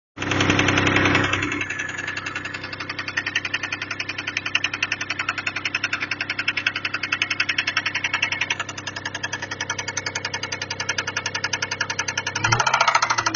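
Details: Toyota 1MZ-FE engine at idle: sharp rapid ticking knock, about three to four per second, steady over idle; internal knock, owner unsure whether bearing shells or valves.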